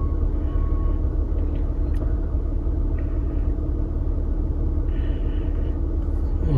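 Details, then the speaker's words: 2009 Toyota RAV4 3.5 V6 2GR-FE after replacing ignition coil #2 for code P0352 misfire: steady, even idle with no stumble, rough idle gone, scan tool beeping while erasing codes. "so... guys... the rough idle is now removed"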